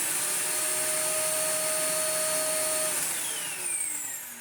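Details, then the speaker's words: Older classic Sebo Felix, beside the Premium Eco in for service: steady high motor whine with rushing air, then switched off winding down smoothly; sounds healthy. "they're not too dissimilar that sound pretty much identical considering they've got the same shape but different Motors in them"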